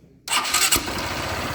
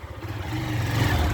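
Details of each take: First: Motorcycle engine losing compression and making a strange noise when pulling away: it catches, then idles with a sharp puffing chuff on each firing beat. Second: Motorcycle after repair of compression loss on pulling away: the engine note builds smoothly as it pulls away, a steady low thrum with no popping or misfire, now much better.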